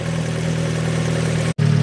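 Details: 2015 Fiat 500 Abarth 1.4L turbo at 67k miles, after replacing the blown turbo with an aftermarket unit, still burning off oil smoke. Steady, even low idle with a smooth hum, no knocks, rattles or whistle; normal idle.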